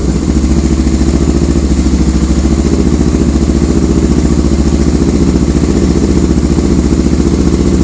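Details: 1985 Honda ATC 350X three-wheeler after oil change, air filter, carburetor service and new plug (previously fouling plugs and smoking); steady, even single-cylinder thump at a settled idle with no misses or stumbling, running healthy.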